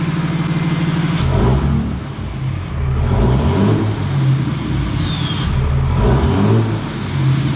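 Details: 3rd-gen diesel truck just fitted with BD Diesel 90 hp injectors, revved right after first startup: crisp rise and fall of pitch across quick blips, clean with no knock or miss; it revs healthily.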